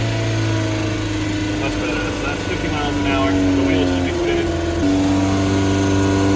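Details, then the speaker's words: 1992 Mazda Miata on test drive after replacement differential installed and filled: steady engine note pulling smoothly through gears with no whine, howl or clunk from the rear; differential normal and quiet. "so far so good everything's quiet i mean as quiet as a miata gets"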